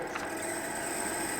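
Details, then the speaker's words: RadonAway RP145C radon fan pulled from a house, running with airflow: steady rushing with a gritty rattle and thin high whine as worn bearings get loud; in service it later stopped and seized. "So, it's still working, but those bearings are starting to get loud."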